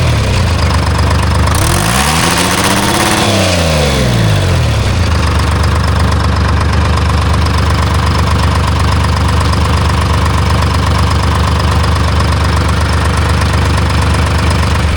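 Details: Diesel engine swapped into a Timberjack skidder, fan belts very loose; loud diesel revs up and sags, then drones unevenly and stumbles, worsening; fuel starvation traced to blocked tank pickup.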